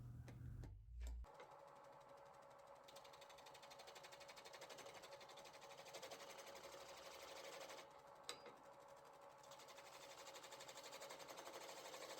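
Steady motor hum with a light, even rasp from the tool cutting wood; the lathe runs smoothly with no chatter or knocking.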